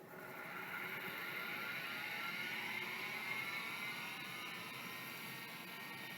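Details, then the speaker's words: Tandon TM502 vintage hard drive with brass stepper and oil-filled damper, powered on bench: whine rises smoothly in pitch then settles to an even high hum, no scraping; drive spins up normally. "that works of course it does"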